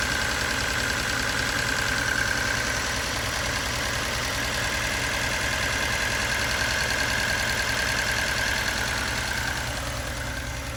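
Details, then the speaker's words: Budget turbo Datsun 280Z, first start after rewiring (jump-started, battery and starter suspect): light regular ticking at idle, about 2–3 per second, over a steady idle; owner suspects the injectors but can't tell, and smells fuel. "What do you guys think that sound is? Not over there. I think it's the injectors, but I don't know."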